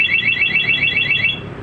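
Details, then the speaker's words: Yamaha XSR 155 with newly installed Masteracing one-way alarm, armed in sound mode and bike moved: rapid high warbling chirps, about seven per second for over a second, then fading; alarm siren triggered by movement. "Nah, ini alarm aktif dengan mode suara ya. Ketika digeser seperti ini, dia akan bunyi."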